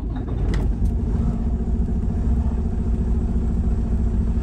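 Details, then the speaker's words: Diesel truck with 706,000 miles, injector 6 fault code SPN 1328 FMI 31, low compression in cylinders 4–6, after valve adjustment, air filter off: steady smooth idle with audible turbo spooling, no knocks; runs much better than before. "definitely sounds a lot better than yesterday now I don't have the air filter on there so you can actually hear the turbo and uh kind of winding and spooling so runs a lot better than yesterday"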